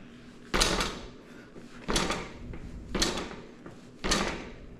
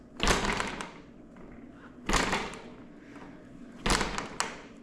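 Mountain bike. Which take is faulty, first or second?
second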